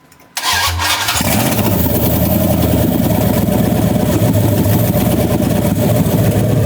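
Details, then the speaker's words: Dodge Ram 2nd-gen single cab on first start after engine assembly: it catches and settles into a loud, rough, uneven clatter at idle; the injectors seem to work, the other header is on, and the cause of the noise is unclear. "Wow, it's making noises. But it's also started. That's pretty cool."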